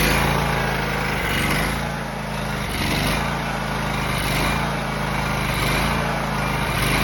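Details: John Deere X304 lawn mower after freeing stuck carburetor fuel shutoff valve, carb not fully cleaned, sat about two years: steady even single-cylinder thump at constant speed, no misses or surging; runs pretty good, normal running.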